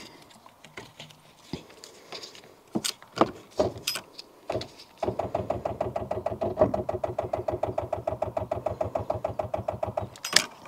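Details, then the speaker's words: Rover 800 series, diesel, sat in brambles 15 years, start attempt: after some clunks the engine cranks slowly and unevenly, about two beats a second, never catching; starter motor weak and judged toast, tow start planned. "Yeah, that starter is definitely toast, but tell you what we'll do, because today I don't think we are going to get where we want to be with this."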